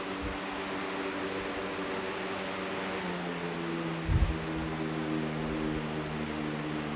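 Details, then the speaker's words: Box fan with a swapped replacement blade, running at full speed: a steady hum with a faint wobbling pulse, and the tone shifts when the speed changes. The fan blade is out of balance. "That blade is definitely out of balance. You can kind of hear the starve sound somewhat transitioning when you change the speed."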